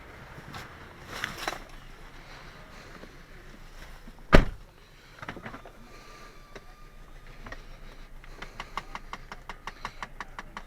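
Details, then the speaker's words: 2012 Chrysler 200 Limited running very rough with a misfire and check engine light on, coil suspected: quick, steady clicking from the dash, about five a second, from a bad HVAC mode position actuator. "that clicking it's got a bad action wooder will write that up sounds like the mode position actuator"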